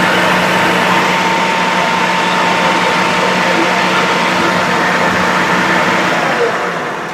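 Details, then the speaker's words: Used Shopsmith running: a smooth, steady hum with a constant faint tone and no vibration or rattle. The motor runs normally. "Uh when with it running like that, you don't want to hear any vibration."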